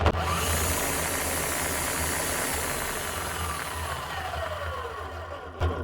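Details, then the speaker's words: Bosch GSH 11 E demolition hammer, 21 years old, before repair: the motor spins up with a harsh, gravelly roar and uneven rumble, then coasts down; bearings gone, with no sparks, so the armature is hopefully fine; worn armature bearing. "now we can hear a totally different tone out of this one that's rough so there's bearings gone on this but the main thing is there's no sparks so hopefully the Armature is all right"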